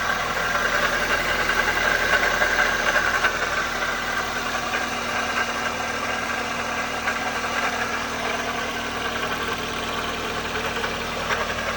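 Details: '04 Toyota Matrix XR, 1ZZ-FE, 5-speed manual, 174,400 mi, rattle noticed ~1,500 mi earlier, burns ~0.5 qt per oil change, at operating temp: steady idle with light quick rattle about three to four per second; source undetermined.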